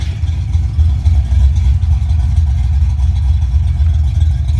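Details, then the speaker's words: Fox Body Mustang V8 during wiring rework, just restarted and idling down: deep uneven loping burble about four pulses a second from the cam, otherwise running fine; normal idle with cam lope. "starting to idle down here the cam a little bit"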